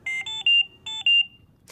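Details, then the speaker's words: Philips Trilogy100 portable ventilator high priority alarm: three quick high-pitched beeps, a gap, then two more, while the audio pause button flashes red, signalling critical patient breathing or ventilator issues. "three beeps followed by two beeps at the same time that the alarm sounds the audio pause button on the front of the ventilator flashes red"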